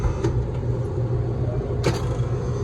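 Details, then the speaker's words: Electro Freeze GEN103 soft-serve machine with neither barrel freezing, in diagnostics mode: low hum with a single hard electrical-sounding thump as the left compressor starts; the compressor turned out not to be bolted down and was jumping; clunk on compressor start. "So when that compressor comes on is when I hear the, listen. Ooh, it's like a hard electrical hit."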